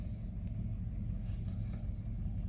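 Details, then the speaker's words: Toyota Fortuner 2.7 petrol on a 22 km round-trip test after a check-engine light and dead throttle: a quiet, even road rumble with no surging or stumbling; normal running, fault not recurring. "ตอนนี้22กไปกลับโอเคอยู่ครับไม่มีไม่มีอะไรเกิดขึ้น"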